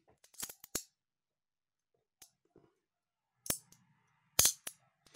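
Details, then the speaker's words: Canon A-1 film camera after cleaning and lubrication (CLA) to cure the mirror squeak and slow mirror: crisp clean mirror flip and shutter clacks with no squeal or drag; smooth, fast normal operation. "and now after some lubrication and uh controlled it cleaning this is how it sounds like it sounds like very smooth"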